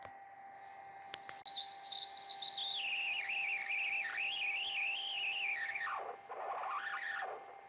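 At power-on a warbling, wandering high whistle slides downward and wobbles for several seconds, an unhealthy startup sound, likely aged capacitors.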